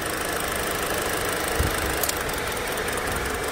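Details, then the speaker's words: Hyundai Elantra SE with one injector wire deliberately unplugged: rough, lumpy idle with an uneven low thumping beat and heavy shaking from a misfiring cylinder. "so as you can see it's shaking real bad so that's the effect of the engine when you have a bad ignition or injector"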